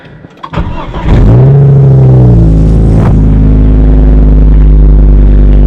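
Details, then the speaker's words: Volvo V70 2.4 started during an exhaust replacement with the rear silencer removed. The starter cranks, the engine catches with a quick rev, then settles into a loud, deep, booming idle because the back box is missing. "Shut this up quick. Louder without a back box. That was loud."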